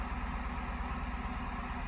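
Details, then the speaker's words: Ford F100 on swapped Crown Victoria frame and V8 drivetrain, just after first start following wiring, slight throttle given: deep even idle rumble, steady low pulse, no knocks, ticks or misses; idling smoothly. "Sounds pretty good. A little bit of gas. Sounds pretty good."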